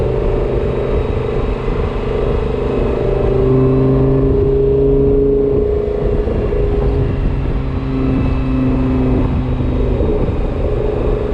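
A steady, fairly low whine rides over engine rumble and shifts slightly in pitch with speed; the source is not clear.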